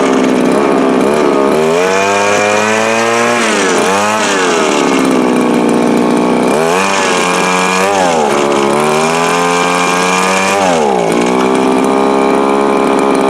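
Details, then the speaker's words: Viper ice auger small two-stroke: high buzzing with revs sagging and climbing every few seconds instead of holding; surging, suspected lean and running out of gas, though it also sounds a little rich and runs harder on choke. "So that sounds to me like it is lean and leaning itself out. But it also sounds a little rich, but if you run the choke, you can run it harder. So it's just running out of gas."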